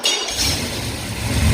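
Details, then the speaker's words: Carbureted engine with a 236/242 cam, after the idle circuit passages were drilled and the mixture screws tuned: a short crank, then it fires almost instantly and climbs cleanly into a steady run, a healthy start. "that's how an engine should start"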